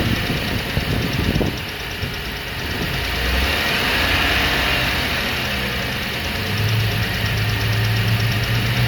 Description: Does this sound like a lifter tick?